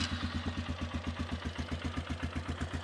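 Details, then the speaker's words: Polaris Sportsman, engine running a little cold: steady single-cylinder thump around four beats a second, even and clean with no knocking; healthy idle, good running engine. "she's a good running engine. Sounds great. Little cold right now."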